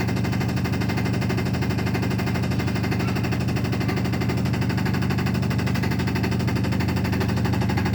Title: realme washing machine spinning loud noise